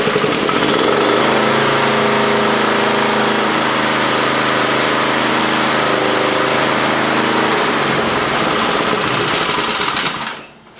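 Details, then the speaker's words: Toro commercial mower with Kawasaki FJ180V engine, fitted with a new carburetor after surging caused by a misplaced anti-surge spring: a steady, even high-speed drone with no hunting or surging, then shut off. Good idle and throttle response. "I went ahead and ordered a new carburetor because I couldn't make the old one work. And I'll show you right here. Good idle. It's got good throttle response."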